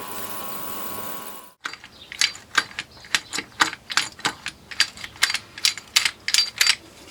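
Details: Vintage army Tirfor TU-16 winch ratchet; crisp, even clicks about two per second show the pawl engaging cleanly, now sounding much smoother.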